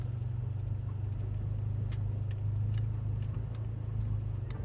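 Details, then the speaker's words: Toyota GR86 after fixing a wheel-well rattle traced to a rubbing suspension cover, driving over a driveway bump that used to clunk: low steady engine hum, no clunk, only a few faint light clicks of unknown origin. "I heard a little click, but I don't know what that was. Definitely not as bad as it was before."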